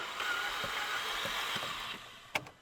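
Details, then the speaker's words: 2007 VW Jetta GLI 2.0T FSI, owner reports broken timing belt: quick, light, perfectly even cranking with no compression beats; lack of compression, car unlikely to start. "you're hearing is a lack of compression, and odds are the car's not going to start."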